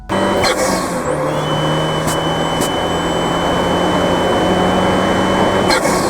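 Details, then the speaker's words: Fiat 124 Spider Abarth, tuned, Forge atmospheric BOV and Forge wastegate actuator: steady high-rpm pull broken by short hissing bursts as boost stutters; pre-installed yellow actuator spring too stiff, opening too late. "so so as you can hear there it's very very noticeable like i said in the car too you can tell okay now that issue was the forge wastegate actuator"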